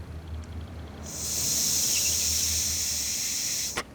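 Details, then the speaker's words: John Deere 130 lawn tractor carburetor, sonic-cleaned and held upside down, with air blown into the fuel inlet: blocked with the float up, then a clean, steady three-second hiss once flipped and the float drops; needle and seat opening normally. "Now you can hear it. Needle and seat are doing their job."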